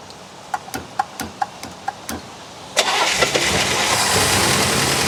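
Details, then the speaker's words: 1964 Buick Electra, engine seized after sitting at least 25 years, just freed up, water pump not hooked up: about three cranking beats a second, then catches and settles into an even idle. "Well, that sounded pretty good for something that was seized up a couple of days ago."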